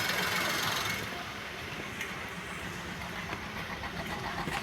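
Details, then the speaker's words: Maruti Suzuki Wagon R K-series, owner complains of no pickup and jerking under acceleration uphill plus low mileage; at the silencer the exhaust vibrates with rapid uneven tak-tak puffing, like one cylinder not working: engine misfire. "Silencer കിടന്ന് നല്ല രീതിയിൽ vibrate ചെയ്യുന്നുണ്ട് കൂടാതെ ഒരു സൗണ്ടും ടക്ക് ടക്ക് ടക്ക് എന്നുള്ള ഒരു സൗണ്ടും കേൾക്കുന്നുണ്ട് പപ്പ് എന്നുള്ള ഒരു സൗണ്ട് ഏതോ ഒരു സിലിണ്ടർ വർക്ക് ചെയ്യാത്ത ഒരു ഫീൽ ആണ് ഇതില് കിട്ടുന്നത്"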